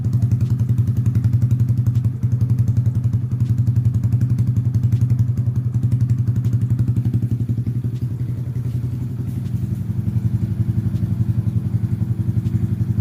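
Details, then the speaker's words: Honda Grom idling after fuel pump priming: quick, even low putter at a steady idle with no knocks or rattles; normal healthy idle. "but let's hear the engine right boy it's a really nice engine"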